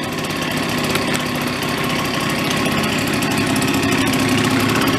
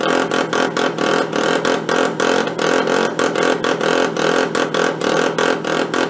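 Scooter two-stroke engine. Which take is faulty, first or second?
second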